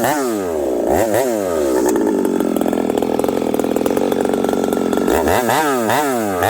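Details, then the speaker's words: Husqvarna 371XP chainsaw: clean revs out of the wood, but under cutting load it crackles and stutters unevenly; the misfire returned after three good cuts despite repair attempts, cause still unknown. "I could hear the crackling and I kind of figured, oh, we got issues."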